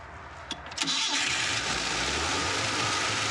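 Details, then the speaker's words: Vintage Coca-Cola delivery truck abandoned 40 years, after distributor adjustment and fuel fed manually into the carburetor: a couple of cranks, then it catches and keeps running on its own at a steady idle; engine finally starts properly. "Yes, there we go. That sounded way healthier. The engine's finally starting to respond properly. The engine's finally running on its own."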